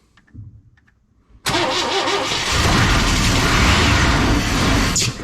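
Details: 1998 Chevy work truck with a crank-no-start, no-spark problem, just after a new ignition part was fitted: silence, a sudden catch, then a loud uneven roar for a few seconds before it cuts out. It was over-revved; oil pressure is uncertain.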